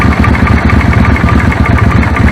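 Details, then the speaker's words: Suzuki Intruder V-twin idling: lumpy idle with a sharp irregular snapping tick on the firing beat, arc tracking from a long, cracked plug cap in the plug tube; moving the cap reduces it; new set of plugs planned. "by moving the cap about it reduces the tracking the audible level of the tracking anyway so I think we'll have a new set of plug"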